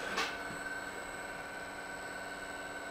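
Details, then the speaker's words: Danfoss high-pressure misting pump after rebuild, running at 35 Hz, slight inlet-side leak: quiet steady hum with a few constant tones, no knocking or rattle; smooth, minimal noise like a brand-new pump. "is working quite well the noise is extremely minimal just like it's a brand-new pump so that's great"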